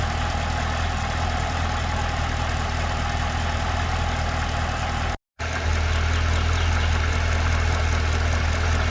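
A steady low idle with a faint, regular tick about four per second riding over it; this is a ticking noise at idle of unknown cause.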